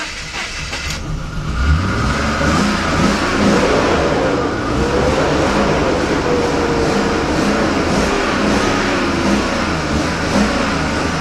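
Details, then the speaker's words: BMW 5 Series (525i/528i/530i/540i) just started after long cranking, smoking heavily with service engine light on: uneven lumpy running, revs surging and sagging as throttle is feathered to keep it alive; rough running, low compression suspected. "I'm I'm actually feathering the gas, which I mean by that is actually I'm hitting it like this to keep it running. Hopefully get it to stay running on its own."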